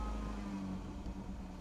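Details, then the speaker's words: Car after an oil change topped to max with 5W30, drain plug done, no leaks, oil level reading correct: a steady, even, quiet low hum with no knocks, ticks or rattles; normal idle. "Engine oil level correct. Sounds quiet."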